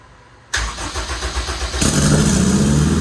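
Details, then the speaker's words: Long-term project engine's first start on a standalone EMS after pump priming: brief cranking, catches at about two seconds and settles into a strong, steady idle; starts and runs normally. "all right fellas lots of problems but we got it to go fired up on stand alone"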